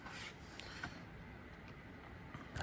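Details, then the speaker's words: HO scale brass Union Pacific FEF-3 4-8-4 #840 model locomotive: faint irregular clicking over a quiet hiss; it is getting power but not transferring it to the wheels. Owner plans to take it apart and clean it. "oh man that's a lot you can hear these like clicking and stuff so these are getting power it's not transferring them to the wheels"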